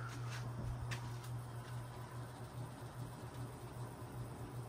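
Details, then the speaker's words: Marley Leading Edge ceiling fan on high speed with a five-speed control: steady low electrical hum under the airflow; owner thinks the canopy might be buzzing. "here is high speed I can hear it humming from here and it's on a five five speed show control and listen to that"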